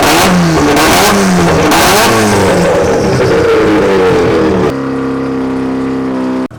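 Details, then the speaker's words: Rotary-powered Nissan S15 on Link ECU, warm, after matching idle cells and fixing a TPS-triggered transition table: revs up cleanly and drops to a lower, choppy but steady idle; sharp throttle pickup, more stable and responsive. "so now with all those little settings you can hear the difference you know the idle's way lower it's more stable and it's a little bit more responsive"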